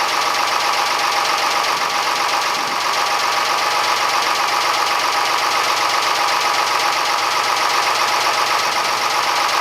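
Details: Fisher 30 sailboat diesel test-run after a new water pump impeller and thermostat, a repaired thermostat cover and a cleared exhaust elbow; oil pressure came up right away. Steady, even diesel clatter at constant speed with no misses or knocks; normal running.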